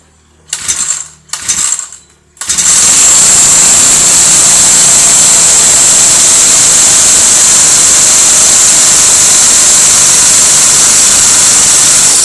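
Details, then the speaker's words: Brushcutter engine that was hard to start and would not rev, after replacing a broken spark plug, setting valves with feeler gauge (intake 0.08, exhaust 0.10) and replacing the starter rope: two pulls, then a steady, even, high-pitched buzz with no knocking. "อ่ะมาลองสตาร์ทกันเลยครับหลังจากที่เราเปลี่ยนหัวเทียนแล้วก็ปรับตั้งวาล์วแล้วก็ผมได้เปลี่ยนสายสตาร์ทเรียบร้อยแล้ว"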